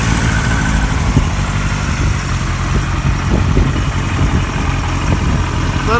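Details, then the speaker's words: 1978 Kawasaki KZ1000A four-cylinder, very cold engine on choke, fuel on reserve: smooth settled idle with an even low burble, no knocks or stumbles; normal idle, good motor. "that's pretty good right there good motor"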